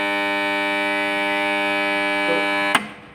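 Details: Submersible pump motor starter energised: loud steady buzzing hum, cutting off with a clunk at switch-off; contactor core faces rusted and not seating cleanly.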